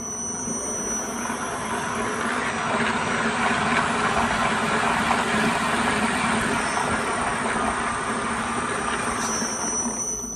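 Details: Innovatech 18-inch concrete floor grinder polisher, 230V 3HP WEG motor: steady motor hum under an even, unbroken gritty grinding roar; running normally.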